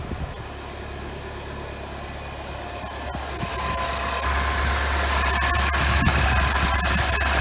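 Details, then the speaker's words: Mini Coupe R58 N14 freshly rebuilt engine (oversize Wossner pistons, ZRP I-beam rods, OEM chains, oil pump, water pump), very first start: catches and settles into a steady even idle, no hydraulic lifter ticking; normal idle. "as you could tell on this it's already around the hydraulic lifting because there's absolutely no little noise in this car"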